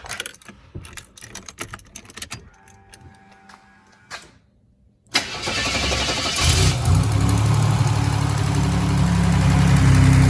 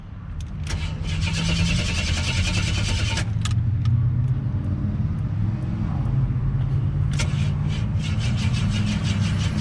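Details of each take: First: Buick WE4 that stalled at a light and wouldn't restart, after reassembly of a previously repaired cam sensor: starter cranks briefly, engine catches within seconds and settles to a steady even idle with no misses or knocks; the cam sensor was the cause. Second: Buick WE4 broken down in traffic, fuel pressure present, battery weak at 11.3 V: steady cranking about four turns a second that never fires, tach reading 0 rpm while cranking; failed crankshaft position sensor.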